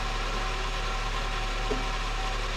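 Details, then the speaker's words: Car under repair for overheating (head gasket leaking pressure into coolant) idling on a freezing-cold warm-up cycle after fuel was primed; smooth, even low rumble with no stumbling or misfires, running good. "It's running good. I'm going to put the tire on while it does a warm-up cycle."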